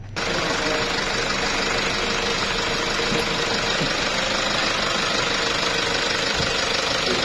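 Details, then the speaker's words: Toyota Hilux Revo, 1KD diesel, 2019/2020 model, after repair: it had cut out at 120 km/h with black smoke and would crank but not start; a seized part was fixed and injector readings are OK. Even diesel clatter at idle, no knock or misfire; normal. "माशाल्लाह engine okay हो गया है। आप चेक कर सकते हैं इंजन की कैसी साउंड है, बिल्कुल साउंड प्रूफ है।"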